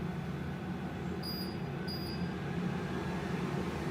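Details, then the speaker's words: Aerovex Whisper salon source-capture extractor, fresh from unboxing, run at 70% then 100% fan setting: smooth steady low hum with airy rush, no rattles or pulsing; volume barely rises between settings, running normally. "There's 70%. The volume doesn't really go up a lot. There's 100. Still not really a lot."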